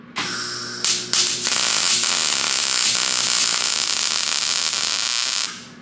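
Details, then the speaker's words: 39-year-old Linde 225 MIG welder in a cold shop, warmed with a heat gun and plug terminals cleaned: arc now sounds smoother, but stuttering, broken starts before steady crackling hiss show rough arc initiation; a grounding issue is suspected. "unfortunately I can tell there is still some sort of grounding issue as is uh the arc initiation is not nearly as smooth as I think it should be"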